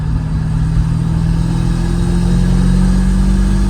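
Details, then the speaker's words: Drift Thunderbird with a manual gearbox, still a little cold, with slight belt slip noted at pull-away, after wheel bearing and knuckle upgrades: deep, throaty exhaust swelling smoothly under acceleration, no misses or rattles; normal, healthy exhaust note. "Oh, that exhaust sounds good. Wow, she drives nice."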